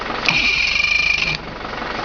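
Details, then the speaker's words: 1983 Mercury 50 hp Blue Band Thunderbolt outboard starter after a home clean-up rebuild: steady high electric whir for about a second as it spins freely, then a clean cutoff. The starter works; the battery still needs attention. Normal cranking. "I got no guess to the engine of the but that St is working just fine so going to have to get this battery taken care of"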